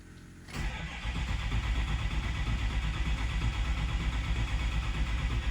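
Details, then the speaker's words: Ford 6.0 Powerstroke diesel long crank after replacing an injector with a cracked tip that caused heavy smoke: deep, steady chugging crank running on without catching while pressure builds; sounds odd but normal. "I'm taking a minute to build some some pressure this thing sounds so like weird when it's cranking doesn't sound like"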